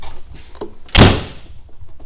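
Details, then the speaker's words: Jeep Cherokee XJ rear hatch after fitting new hatch bumpers, with the seal not yet installed: a single solid thud on closing with no buzz or rattle after it. The hatch closes without rattling. "Uh but point was that um it shut, doesn't rattle."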